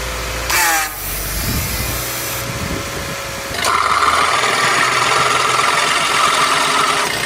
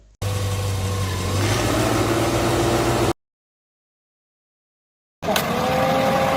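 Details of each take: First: Vehicle AC compressor with long-term wear, AC switched on: harsh steady grinding whir with constant high-pitched edge over the engine, like a grinder or blender; worn compressor grinding. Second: Vehicle AC switched on at idle: light click as the compressor clutch engages and centre hub starts turning with the pulley, idle note settles slightly lower under added load; normal compressor engagement.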